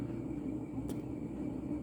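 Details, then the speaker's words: Mid-1980s Montgomery Ward Evergo 48-inch spinner ceiling fan, model 4E-3LW, on high via original solid-state control: steady low train-like rumble from noisy motor bearings, though powerful and in perfect balance; worn fan bearing rumble. "start start it up on high and you can hear how noisy those bearings are i think sounds like a train"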